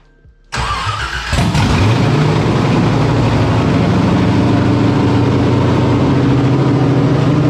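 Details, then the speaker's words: LS1 V8 with a cam, swapped into a Nissan 300ZX with Holley Terminator EFI, first start: it catches quickly and settles into a lopey, choppy burble. It idles properly without a tune; the first few starts were rough until it reached temperature. "it's a cam it's a camp motor and it's idling like it should have like without a tune it up and everything"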